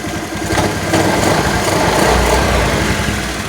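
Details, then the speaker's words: Honda Vario 110 scooter that previously would not take throttle, after a stator coil fix: it idles evenly and picks up smoothly when the throttle opens; the regulator reads normal, the stator is still suspect, and it now takes throttle. "Cuman bedanya udah mau digas."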